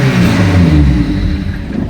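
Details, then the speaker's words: 2001 Lotus Elise (year as told), started with two wires bridged as it arrived; engine catches and revs briefly then dies within about two seconds every repeat, immobilizer cutting it after start. "Вот это два провода зака даже видели и всё машина заглохла повторяем процедуру точно также ведёт все Машина"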